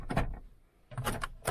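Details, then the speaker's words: Toyota Aygo passenger door stuck shut after a locking fault: the lock actuator still reacts, three quick clunks as the motor cycles, but something is blocking, so the jam is in the latch or linkage. "Bon, pourtant elle réagit au verrouillage. Donc mais il y a un truc qui"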